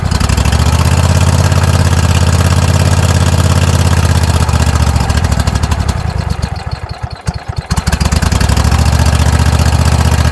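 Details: Troy-Bilt zero-turn mower, Kohler 7000 series engine, just after carburetor replacement: low, even thumping run that dips and slows mid-way, then settles steady; runs fine, idle still a little high and being adjusted at the screw.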